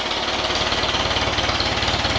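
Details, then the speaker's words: 1959 Allis-Chalmers D-17 tractor after restoration, tune-up and new exhaust, first start with fuel flowing to the carburetor; quick, evenly spaced exhaust pulses at a steady beat with no stumbles or knocks, runs nice and smooth, normal running. "We haven't heard it with the new exhaust or nothing yet. A tuneup. Of course. It sounds good."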